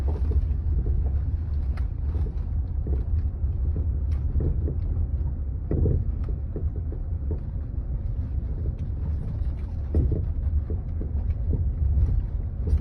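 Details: Land Rover Freelander 2 driving: irregular short dull clunks over bumps and asphalt joints under road rumble; rear shock absorber knocking, bushings, bearings and stabilizer link checked fine on lift.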